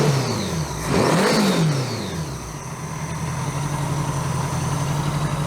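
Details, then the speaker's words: 1982 Honda GL1100 Goldwing after single Solex-type carburettor conversion, first start: quick rev settling into a smooth, even idle with no misses; sounds healthy, idle slightly high, adjustment screw running out of threads. "It sounds pretty good."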